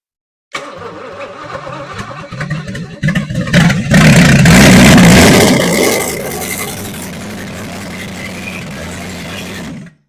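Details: 1964 Chevy 283 small-block V8, budget rebuild with DIY porting, first start on a test stand: cranks a few seconds, catches and revs hard, then settles into an even, steady idle; starts and runs normally.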